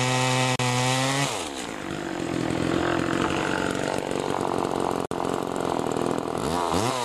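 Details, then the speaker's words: Homelite Super 2 chainsaw (Duramark-branded) after an oiler repair with a new duckbill valve. High buzzing revs drop and pull steadily into the cut, then rise cleanly, with plenty of chain oil; cutting normally. "anyway she cuts good now she's oiling pretty good now a lot of oil on that chain"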